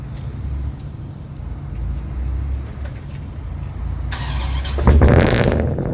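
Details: Ram SRT10 Viper truck, cold start at about 12-13°C before a header temperature check; steady even low rumble with no misses or knocks, then a louder rush as revs rise, firing on all cylinders.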